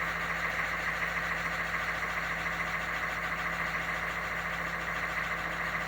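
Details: 1987 three-quarter ton 4WD Suburban, 6.2 L diesel with Banks Sidewinder turbo, after glow plug swap; started at 74°F on factory glow timer, afterglow hitting, no double cycle. Steady idle with light regular clatter, no stumbles, no smoke.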